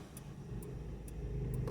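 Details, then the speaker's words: 2004 Toyota Echo with a cylinder 1 misfire (P0301) and heavy shaking, after diagnosing by swapping ignition coils: quiet, even engine note with a smooth low rumble, and the vibration is gone. "ahí está totalmente una gran diferencia ya se le quitó la vibración que tenía vamos a hacer la prueba"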